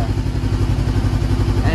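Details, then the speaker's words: Salvage-auction 2013 Honda CBR500R after full DIY restoration, first start after fuel pump priming, fired up quickly: quick even low thrum with steady beat, no knocks or misses; clean normal idle. "sounds so good wow all right i'm gonna kill it did you hear that that was amazing and it fired right up so quickly"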